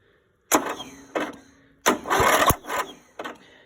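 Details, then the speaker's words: Greenfield Model 11 ride-on mower, Briggs & Stratton 11hp, unrun 5+ years, starting fluid in carburettor: short bursts of cranking, never catches, cranking no start; weak battery suspected, another battery to be fitted. "Well, it looks like I'm going to have to play with it a bit more. I think I need probably chuck another battery on."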